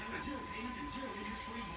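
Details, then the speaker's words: Philco 41-280 vintage tube radio during alignment, signal generator at 1000 kHz carrier via loop antenna: thin steady whistle over station audio, wobbling as the two signals beat against each other, heterodyne. "And yeah, you hear that wobbling? You turn it up a bit. It's going to get a tad bit loud. Just because we're just stepping on each other."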